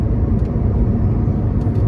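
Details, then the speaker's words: Honda Accord CD5 driving: deep continuous low growl/rumble from the transmission, present since the car was bought; fluid drained and found full and new-looking, topped off, noise persists; clutch was slipping earlier and replaced; cause not confirmed. "Also my I believe I have I'm not sure if I mentioned this before, but since I got the car, the transmission's been making this really like kind of growling noise, I've noticed."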